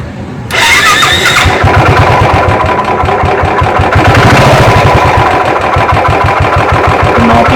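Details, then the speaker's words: Royal Enfield UCE single-cylinder engine, never opened, at start-up and idle: heavy low thumping with a deep, hard knock on each beat; crankshaft bearing worn, and if ignored the cylinder will be damaged. "അതായത് ക്രാങ്കിൻ്റെ bearing പോയിട്ടുള്ള starting knocking സൗണ്ടാണത്. ഇത് നമ്മൾ ശ്രദ്ധിക്കാതിരുന്നു കഴിഞ്ഞാൽ, അപ്പോൾ ഈ തുടക്കത്തിൽ നിന്ന് ചെയ്യാറുണ്ടെങ്കിൽ cylinder പോകും."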